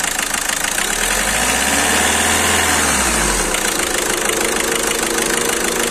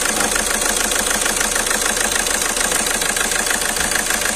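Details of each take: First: Skoda Rapid idling after repair of cylinder 2 injector circuit misfire, injector serviced and injector sensor replaced: smooth even idle with brief low rumble midway, no stumbling or misfire, problem solved. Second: Skoda Rapid at idle with engine shaking and malfunction light on: uneven stumbling beat about three per second under hissy top end; scan showed cylinder 2 injector circuit fault, misfire.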